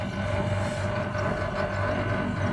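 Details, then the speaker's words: Split AC outdoor unit after a compressor no-start fault, with burnt compressor terminal wiring repaired; steady even hum, low drone and constant mid tone, no knocks or rattles, compressor and fan running normally, gas reported okay. "and you see now this machine is also is working very nice this gas is gas is okay everything is okay"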